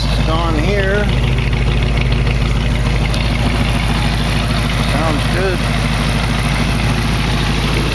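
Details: 1968 AMC AMX 401 V8 after replacing a lifter on cylinder 2 that was worn to the oil hole, now running on all eight cylinders, timing not yet set: steady, even idle with smooth low rumble, no ticking or knocking; normal idle.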